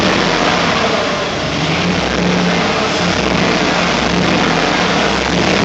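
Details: 1974 Chevrolet C10 with LS V8 running rough and uneven while revving, firing on only four cylinders; the cause was a loose ground wire for the ignition coils.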